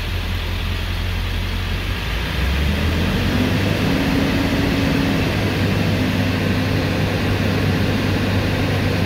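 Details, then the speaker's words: 7.3L Powerstroke pickup after high-pressure oil pump (HPOP) replacement and leaking ICP sensor replaced, hot restart after sitting 15-20 minutes warm: quick short crank, steady even low diesel idle; previously died and wouldn't start hot, now big improvement. "obviously it's you know it's hot it's warm let's um go ahead and do a um hot start on this just to kind of confirm that everything is you know still doing like it's supposed to"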